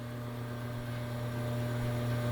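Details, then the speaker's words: 24-inch Poitras bandsaw with 5 hp motor, pulleys previously changed to slow it and cut vibration: steady, even low hum with no wobble or thumping as it runs up; running quietly and smoothly. "that's a five horsepower isn't it yeah it is that's a big five horsepower running that I'll just turn this on real quickly to what pretty quiet"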